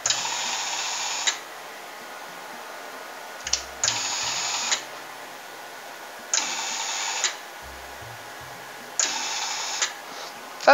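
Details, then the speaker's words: Ozito gas/gasless MIG welder, about 8 years old, during a Euro plug upgrade: gas solenoid wired to the machine's 12 V output gives four harsh raspy one-second buzzes, one per trigger pull, likely overcurrent; it worked through a relay. "doesn't sound right but i don't know what's going on there it worked with a relay no worries"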